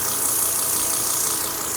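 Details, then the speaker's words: Volvo XC90 idling: steady airy hiss over a quiet engine, a vacuum leak most likely from shrunken, bad fuel injector O-rings, fixed by replacing them. "most likely the O-rings have shrunk and are bad right at your fuel injectors."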